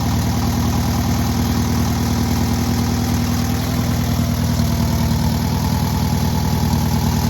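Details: Newly rebuilt air-cooled VW 1600cc engine at its first start and break-in: steady, even low-pitched flat-four thrum with a smooth unbroken beat and no knocks or ticks; normal running.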